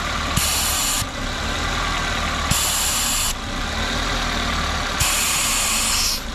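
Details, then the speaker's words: 2006 Toyota Corolla with a hard brake pedal, after removing a clamp found on the brake booster vacuum hose: at idle, a loud sharp hiss comes in bursts at the open hose and the engine stumbles each time; strong vacuum reaching the booster. "now we're going to check for vacuum again there we go now we have back here we can hear it kissing"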